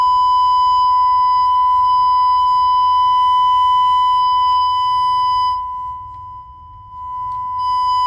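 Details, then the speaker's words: Vintage Jensen V20 compression driver fed a steady ~1 kHz tone: buzz with edgy overtones, diaphragm still rattling after being bumped out of alignment during cleaning. "I gotta hear that one hey I'm still rattling"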